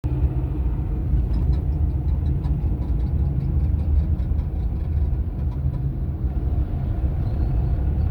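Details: Running car engine heard with a deep, steady low rumble, no clear knock or whine standing out; the owner reports an odd engine noise whose cause isn't evident.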